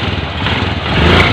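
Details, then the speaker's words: Honda TMX Alpha 125 after repair, retested in first gear on throttle where it previously whined: short clean rev, no gear whine over the exhaust; runs smooth, whine gone. "Ayan okay na mga pre at smooth na yung andar niya wala ng haling yan"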